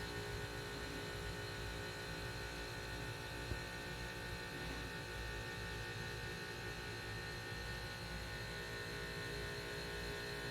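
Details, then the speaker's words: A/C condenser after cleaning and reassembly, running on a cool day with fan pressure switch: compressor kicks on before the fan, then pressure switch cycles; soft steady hum and fan whir, no rattles or grinding, nice and quiet. Normal running. "There we go. Sounds good, nice and quiet. And then the pressure switch is cycling."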